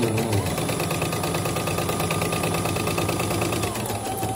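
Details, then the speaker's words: CNY E900 embroidery machine after its needle-damaged rotary hook, which had kept breaking thread, was sanded but not replaced. Even stitching rhythm about three beats a second, smooth with no grinding: normal running. "Kita lancar. Dari tadi sih nggak ada yang putus, kalau sekarang putus ya takdir. Udah lancar nih."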